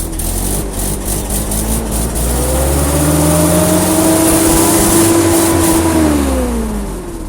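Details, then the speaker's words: Old carbureted engine in freezing cold, manifold heated with heat gun, new battery: catches quickly and revs up smoothly with rising tone, then settles and shuts off; clean easy cold start. "that was an easy start i say that as it shuts off because the heat gun fell down"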